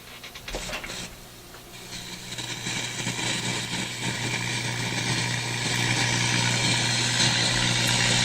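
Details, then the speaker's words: Electrohome Kalmar console stereo receiver with dead FM, dirty controls: steady low hum under a rough hissing crackle that builds and persists in one channel whatever is touched; suspected leaking tone-control capacitor, source not yet found. "It's this channel over here now. But come on, it doesn't matter what I touch, I get that noise."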